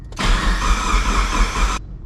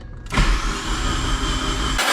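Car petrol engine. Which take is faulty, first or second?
first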